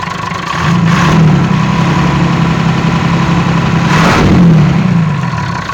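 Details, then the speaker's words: Perkins 6.354 series 1 diesel at idle: uneven, lumpy beat with periodic stumble, a misfire, blowing a fair bit of blue smoke but good oil pressure; owner suspects broken ring or piston, not confirmed. "Here she is. 354 Perkins with a miss in it. And blowing a fair bit of blue smoke."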